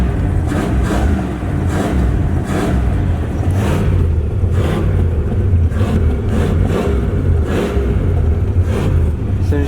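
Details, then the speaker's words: Dodge Aspen V8 with about 90,000 miles, first start after sitting 17 years: revs rise and fall with repeated throttle blips, and it revs snappily. It can't hold idle and dies when the gas is released; cause not confirmed. "let off the gas dies"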